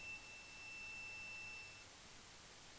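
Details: Continuity test in offline mode on an Asus A512F laptop board with a short circuit: a steady high-pitched meter beep holds for nearly two seconds, confirming this component is shorted and causing the problem.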